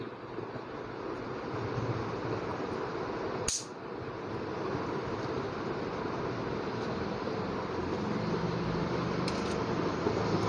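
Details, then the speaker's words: Washing machine motor after repair, with the two blue capacitor wires connected: a steady, even whir that spins up smoothly with no knocking, rubbing or catching. The motor runs normally. "दोस्तों हमारी ये motor repair हो चुकी है और बिल्कुल a1 first class"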